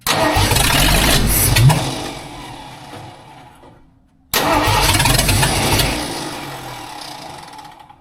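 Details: Rebuilt budget-build 302 in a tow truck, first start-up: two bursts that catch then fade away; fires briefly but won't keep running, fuel starved until given more fuel, then runs smooth.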